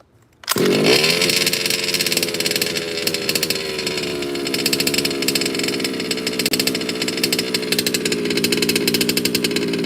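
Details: Baja 5T gas 1/5-scale RC two-stroke after major repair, first start: pull-start after priming catches at once, then high buzzy idle settles steady and even with no stumbling or surging; great start.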